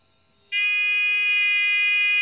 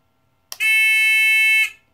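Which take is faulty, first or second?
second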